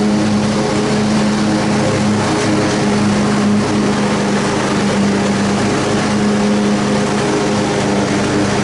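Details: Troy-Bilt Super Bronco riding mower, restored after arriving in pieces, mowing grass: smooth, even drone and steady hum with no knocks or rattles under cutting load. The pounding is fixed and it is healthy.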